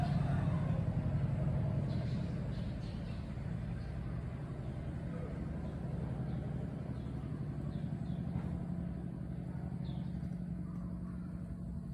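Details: 2022 Honda Wave 110i idling hot, quiet when cold but noisy after long rides: light, uneven tapping over a low hum from a soft cam chain tensioner; cam chain tensioner tapping, tensioner mechanism to be modified.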